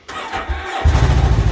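Under a second of cranking, then it catches at once and settles into a steady, even idle; a clean, healthy start.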